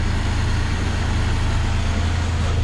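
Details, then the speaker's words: Yugo Sana GL warmed up to about 70-80 degrees, electric fan kicking in: deep even idle thrum with steady pulse, no misses or ticks, nothing bad from exhaust; normal warm idle. "The engine's idling lovely, all good there, no rubbish out the back."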